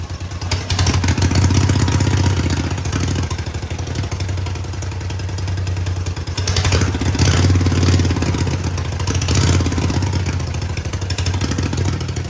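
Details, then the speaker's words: Roughly 50-year-old Mighty Mac 8C skid steer, engine freed from seizure: it idles steadily for a moment, then the note swells and falls back every few seconds as the governor catches. Idle hunting, cause unclear to the owner. "It's running pretty good. I don't know why it sits there and idles really good for a second and then kind of, I don't know, like catches itself with the governor. I don't understand why."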